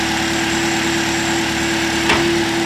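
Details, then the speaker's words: Chevrolet Malibu after repair for P0016/P0017 codes, first start: smooth steady idle with even pulse and mild hum, no ticking or rattle; engine now absolutely quiet, healthy. "oh yeah first try and the engine is absolutely quiet let's go listen to this guys listen to this it's not even the same car anymore absolutely quiet i love it"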